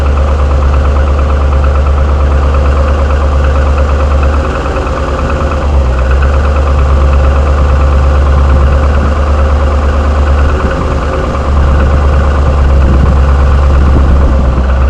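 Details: 6.0 LS2 V8 in a 2007 Chevrolet Trailblazer SS at idle: loud, deep idle with a hollow knock about three times a second, steady with engine speed; piston slap, which GM claims is normal and refused to repair under warranty.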